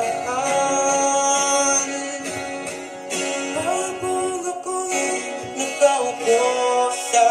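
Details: Orange JBL Go Bluetooth speaker, model unknown, after temporary fix of distorted sound: music with guitar and vocals plays full and clean, no buzzing or rattling on louder passages.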